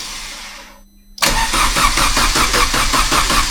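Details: Vauxhall Astra VXR Racing Edition after cylinder-head removal and rebuild for head lift, with bigger turbo, first start attempt: steady starter churn at about two and a half beats a second with even compression pulses, normal cranking before firing.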